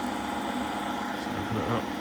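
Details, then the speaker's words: Denford Viceroy pillar drill, Hoover 3-phase motor after bearing replacement: normal running, steady even hum with quiet spindle whir, noise only from the front, none from the motor at the back. "That is the drill. Noise from the front. Absolutely no noise from the motor at the back."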